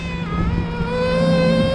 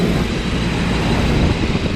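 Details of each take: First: Rooftop package HVAC unit reported for a high-pitched squeak: a steady high whistle near 550 Hz over a low hum as air is sucked through the economizer seam; not enough air reaching the return, and the noise stopped once the blower compartment was opened. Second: Rooftop package HVAC unit with the blower compartment opened to draw outside air, relieving the starved return: steady airy rush from the blower with no squeal or whistle over it; the economizer-seam noise is gone and the unit runs smoothly.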